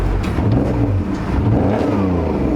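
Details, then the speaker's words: BMW E46 with freshly swapped 3.0 engine, driving under acceleration: uneven, slightly lumpy note through the revs, missing hard; cause suspected, not confirmed. "Sounds like it's missing. Sounds like it's missing. She's got a miss."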